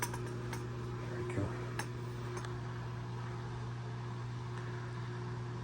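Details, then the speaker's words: Asko W2084 washer, after dealing with the motor found damaged with debris (complaint: not draining, not advancing to next step): steady low hum, smooth even drone, no knocking or scraping; running normally. "washer has been running perfectly fine without any problem"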